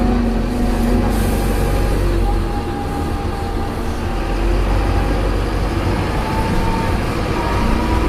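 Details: Optare Solo bus V263DRC: heavy diesel rumble with a faint wavering whine drifting in pitch as it slows; odd gearbox noise on deceleration, cause unclear.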